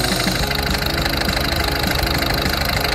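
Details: Peugeot 308 after misfire repair with a new number-four injector, timing belt and water pump, codes cleared and check light not returning: steady idle with even light ticking about three per second, no stumble or miss; normal idle.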